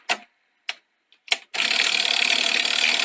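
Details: Sony SL-C9 Betamax front-loading mechanism, repaired after failing to load, tested with the top screw still loose: three light clicks, then a smooth steady whirr as the tape loads, with no clunking or grinding. Normal tape loading.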